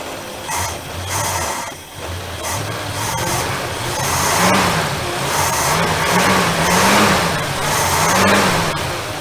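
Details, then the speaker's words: 1966 Dodge Coronet first start after sitting 20+ years, leaking and smoking: an uneven, hunting idle that surges and sags about every second; rough idle after long storage, and the owner says the carb needs work. "it's alive and idling and leaking from everywhere already i don't know if you can hear that but she's definitely leaking definitely smoking the crazy thing is it doesn't run half bad"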